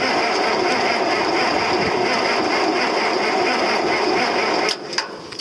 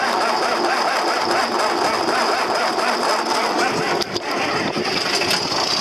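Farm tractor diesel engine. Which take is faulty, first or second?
first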